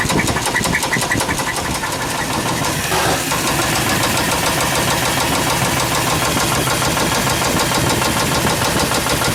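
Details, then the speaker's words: Suburban engine with valve cover off, idling: fast light ticking about two per second traced to one rocker arm, the source of the knock and squeak after plugs, wires, cap, rotor and EGR were already serviced. "the uh sound is coming from this lifter I'm sorry this rocker I'm putting my point"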